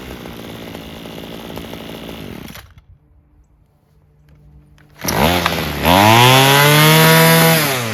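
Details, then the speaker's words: Homelite two-stroke string trimmer fixed by clearing a dirty fuel tank vent and adjusting the carburetor mixture screws: idle drops off, then snaps to clean, screaming full throttle and holds steady without bogging or hesitation; healthy. "So now that we've heard this, it actually sounds pretty good. Revving it up to its highest throttle sounds good, doesn't bog down."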